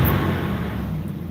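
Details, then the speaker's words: Dodge R/T truck V8 just started at idle: a deep, steady, loud roar with a heavy low rush over the engine and no knocks; noisy viscous clutch fan pulling hard. "Got the noisy clutch fan. That definitely is gonna go. I hate those clutch fans, they're so loud."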